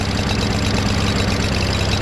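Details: Craftsman push mower, Briggs 550EX engine, homemade choke flap removed: flat, slightly lumpy drone that never climbs in speed; rough running, won't rev high, carburetor suspected.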